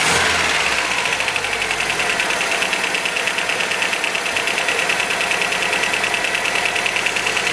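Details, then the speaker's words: 1977 MGB engine, first proper run in six or seven years after rough timing adjustment: uneven idle with light clatter about three ticks a second from tappets needing adjustment; timing not yet set properly. "she sounds good A bit rattly as I say but we can get that sorted that's the tappets"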